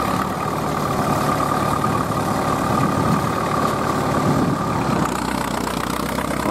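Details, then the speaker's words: Vintage Fiat 70 tractor, about 50 or more years old, ploughing at a ploughing festival: deep, even diesel rumble holding steady under heavy load, no knocks or misses. A strong, healthy engine working hard. "e quando sentite così un rombo così Un battito del vuol dire che è un motore un ottimo motore che quella 70 lì Avrà già i suoi 50 anni"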